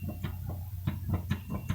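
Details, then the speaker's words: Suzuki Samurai rear differential knocking: dull low thumps every quarter to third of a second under drivetrain rumble; owner suspects ring gear, diffs overdue for service despite fluid flushes, cause unconfirmed. "that sounds like my uh ring gear back there um these definitely need to be serviced i haven't done them"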